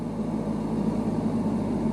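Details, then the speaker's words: Car in a clutch-control demo: steady idle raised to about 1,500 rpm, dipping slightly as the clutch reaches the biting point, with a little more load on the engine but no struggling or stall before moving off. "so we've now got enough power when I now find the bite all that's going to happen is yes the engine it's got a little bit more load on it"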